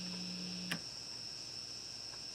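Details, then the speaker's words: Epiphone Les Paul SL guitar: a low 60-cycle mains hum drops out after a switch click to the second pickup position, leaving faint high hiss; with two pickups on, the hum cancels, and it returns on the single coil. "Right? Then you got your 60 cycle hum again. So when you got two pickups going, it will eliminate that 60 cycle hum."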